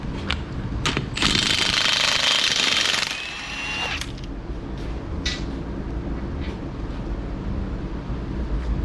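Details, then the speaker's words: Impact wrench on 21mm lug nuts during a front brake job on a Hyundai Elantra: a rough, slow, strained hammering. The tool's battery is weak. "battery is weak, so that's why it sounds like that."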